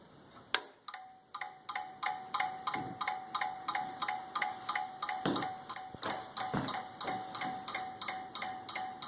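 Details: Desktop PC with flickering lights: sharp, regular clicks about three times a second with a faint steady tone behind; cause unknown.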